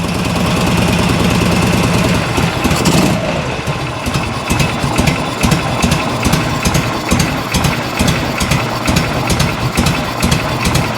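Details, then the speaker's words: 1986 Harley-Davidson Electra Glide Evo V-twin, 23,000 miles, unrun over a decade, on reserve fuel with choke, crankcase still puking oil: revs drop to a slow lumpy loping idle that nearly stalls; idle set too low, gallop. "There's an Evo Gallop for you. The last of the Gallop. There you go. Might be a little bit too low on the idle."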